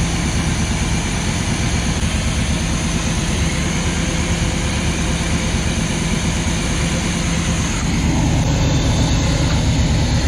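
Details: Luhrs 28 boat inboard engine idling after a carburetor rebuild; a steady, even low rumble with no misses or knocks, running great.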